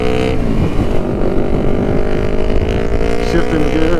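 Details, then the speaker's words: 2006 Kawasaki Ninja 500R first road ride after getting it back together, clutch suspected to be starting to slip; smooth even twin-cylinder drone under way with wind rush, no knocks or misses: normal running. "Alright, so today folks, we are testing out my buddy Riley Moto's Ninja 500R. First time on the road since he's gotten it."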